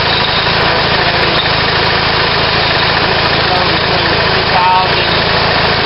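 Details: On-farm natural gas compressor, a German-built 4-cylinder unit adapted for natural gas, feeding a surge tank. A small engine drives it with an even, steady chug at constant speed: normal running.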